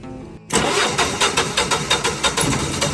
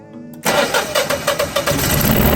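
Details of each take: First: Generac generator with flashing red indicator lights: starter drags at about three slow turns per second for two seconds before the engine catches and revs; slow crank from an old, swollen weak battery. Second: Generac 14kW standby generator after diagnosing slow cranking with flashing red indicator, swollen old battery removed and codes reset: starter cranks briefly, engine catches and settles into a steady even run with no knocks; clean, healthy start.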